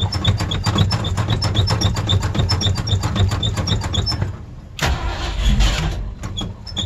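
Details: Old Ford Bronco on a cold start: long cranking with rapid, even starter chugs about four a second, a brief catch, then more cranking. Very cold-blooded, hard starting.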